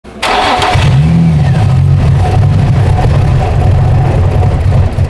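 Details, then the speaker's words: 2004 Infiniti G35x with a used ECM fitted for throttle-control codes P1122/P1126 and keys reprogrammed. It starts but won't take throttle, giving a lumpy idle that surges and sags. A debris-contaminated MAF sensor is suspected. "See, like it won't even take throttle. Hang on, shut it off. I'm gonna unplug this MAF."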